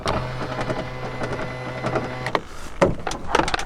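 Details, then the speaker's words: 2007 Ford Ranger Thunder front power window: steady motor hum with loose, irregular clicks and rattles, then the glass clunks to a stop; worn window regulator, glass won't stay up. "Anyway, after all that, the first thing that's become apparent is the front windows, the mechanisms are knackered."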